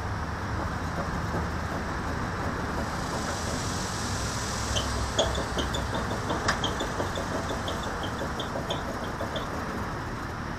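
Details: Toyota FJ worn wheel bearing heard while driving: a steady low hum and rumble beneath road noise.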